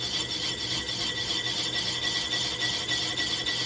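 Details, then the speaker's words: Lathe slowed down, on power feed, resurfacing a junk flywheel/clutch pressure plate: a shrill, high squeal pulses about three times a second through the cut as the tool chatters against the work. "although it sounds like it's chattering so maybe I need to see about remedying that"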